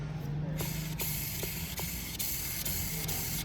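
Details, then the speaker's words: Hyundai i20 clutch release bearing, spun by hand with the gearbox removed during clutch replacement for a gear-shifting problem, gives a rough, gritty hiss in repeated surges instead of a smooth spin; worn bearing, to be replaced. "ये भी ख़राब है guys, देखो किस तरह आवाज़ कर रही है।"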